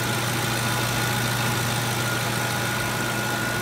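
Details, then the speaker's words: Ford 5.4L 3V petrol V8 idling smooth and quiet, steady low hum with no knocking, after the diagnosed knocking cause was repaired and the engine reassembled; earlier guides and tensioners had been replaced by a previous owner. "there it is all back together nice and quiet once"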